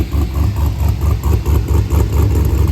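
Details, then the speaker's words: 1987 Mazda RX7 (FC) with LS V8 swap and ProCharger supercharger, cold start after sitting about a week, just started: deep, loud, lumpy idle with steady rhythmic pulse, no knocks or misses; normal healthy cold-start idle. "it's a cold start up too I just literally started it before I pick the camera"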